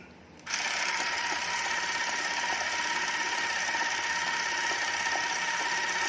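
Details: Bolex-serviced Super 8 camera with a test cartridge loaded, powered on: a steady high-pitched mechanical whir starts abruptly and holds even with a fine fast clatter as the film advances normally.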